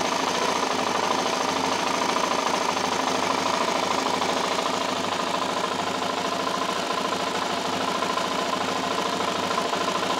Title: ticking noise ltz 400 part 1.AVI